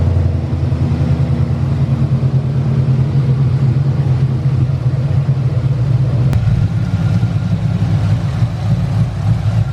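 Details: 5.2L Coyote engine swap, first run after a new tune was flashed. It runs smooth and even with a steady deep note and no ticking; the tensioner clicking heard on cranking disappeared once oil pressure built.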